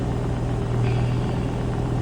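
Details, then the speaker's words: BMW E92 M3 with swapped S85 V10, MaxxECU and DCT, first start-up: deep, even idle rumble with steady low note, no misses, knocks or ticks; running smooth, healthy. "It runs! Running smooth as anything."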